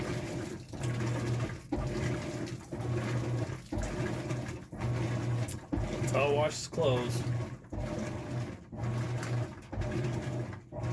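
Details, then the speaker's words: Maytag Bravos high-efficiency top-load washer on Normal wash, after the hub was repaired with JB Weld: regular back-and-forth churning strokes over a low, unlabored motor hum as the parts move in opposite directions. Normal agitation. "when it agitates they actually go opposite directions and if you've never seen one of these run it's kind of neat having a glass top"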